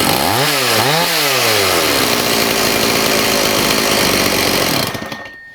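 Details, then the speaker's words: Old STIHL 026 chainsaw that sat about 10 years, just started after carburetor adjustment: blips up and down, then holds a harsh, rattly high rev before cutting out; compression feels awful. Diagnosis is a scored piston and cylinder. "But the compression does not feel good at all, guys. It feels awful. I'm totally shocked it started."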